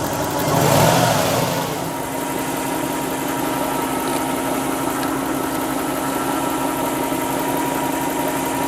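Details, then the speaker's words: Lexus LS400 with new power steering pump after flush, engine warming up: brief rev then steady idle with only a faint whine, no groaning; the pump has gone quiet. Normal power steering pump operation. "The engine is warming up, and as you can hear, all of a sudden the power steering pump went quiet. So I'm sort of happy right now."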